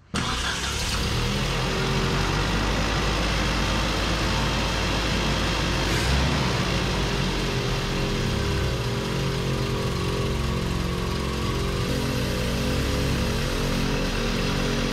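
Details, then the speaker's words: Datsun mini truck carbureted engine on first shakedown after build, carb nuts retightened: steady idle whose speed lifts when sprayed at the carb base, vacuum leak at the base gasket persists; studs were turning, carb must come apart. "yeah she was still revving up spraying that so we got to pull it apart get our gasket right there"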